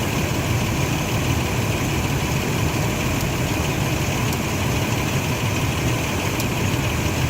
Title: Clicking Noise in Enfine then Rough Idle